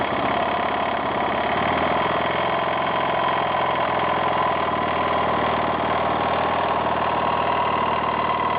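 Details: 1992 Yamaha XT600E (3TB) single-cylinder idling evenly with a light, fast mechanical tacking over the beat; owner reports a strange knocking or ticking noise at idle, source not pinned down.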